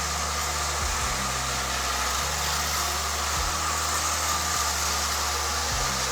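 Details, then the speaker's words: Marx tinplate toy train motor from an eBay lot, after long storage, running laps on track: whiny hum dipping and surging in pitch, stiff and uneven; needs service; rough-running motor, cause unconfirmed. "so yeah it definitely going to need some uh definitely going to need some Service uh that gu does not sound too happy"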